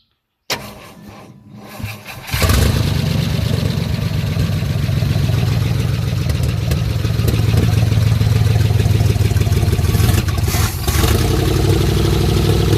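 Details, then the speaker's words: 1956 Chrysler New Yorker St. Regis with 354 Hemi V8, sat over 30 years: short crank, then steady even low rumble with no knocks or misses; sounds healthy though needs tuning and fuel pump seems weak. "but it's alive it sounds healthy it's the main thing"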